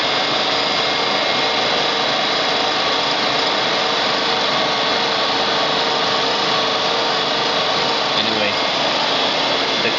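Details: Electric AC compressor in a Nissan Sentra converted to electric, 120 V battery system, speed control at about 6 V: steady high whir, clean even tone, no knocks or grinding; starts slowly, owner unsure if that matters, otherwise normal.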